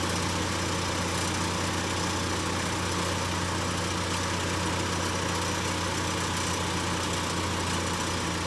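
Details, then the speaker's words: 2012 Chevy Equinox idling after a temporary patch on its cracked resonator, left to cure half an hour; steady, even low rumble with no ticking or puffing, no leaks felt, noticeably quieter than before. "I don't feel any leaks. Wow. Already I can tell there's a difference in the noise from before and now."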